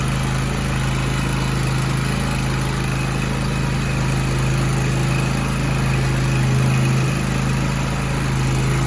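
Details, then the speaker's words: Grasshopper or Toro zero-turn mower sitting about four months with suspected stale carburettor fuel, after starting on external fuel through the intake: steady, even low putter at one speed with no misses or surging; good idle. "Got good idle. yeah."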